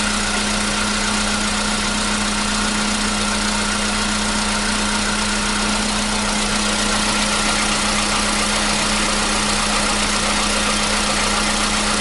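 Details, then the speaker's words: 2015 Volkswagen Polo Sedan CFNA at 76,000 km, which had knocked on cold starts since about 2016, cold start after a new battery: it settles into a steady, even idle with no knocking heard. The cold knock has suddenly disappeared. "Вот так, проехав 76 тысяч, двигатель внезапно перестал стучать."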